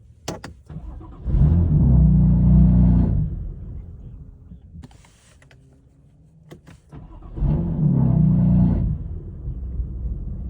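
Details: BMW F80 M3 with S55 engine, two cold starts that each flare up, then stumble unevenly before settling; misfire on cold start, cause unknown.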